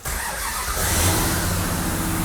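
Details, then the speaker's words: 1970 Plymouth Cuda-styled four-door car, first start after the engine and drivetrain were installed, in neutral with the fuel pump powered. Quick crank, then it catches and rises straight into a strong, steady fast idle without stumbling. Healthy first start. "Wow. It's one of those things that you don't know till you know. Boy, that thing sounds good."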